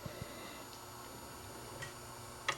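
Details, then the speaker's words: Dual 1219 turntable after fixing a slightly bent part that stopped the motor shutting off, set to 45 for a 7-inch record: a few light mechanical clicks as the arm indexes to the seven-inch position, working normally. "i'll just make sure that we'll put it on 45 and to a 7 inch record it should move over to the seven inch position here no problem"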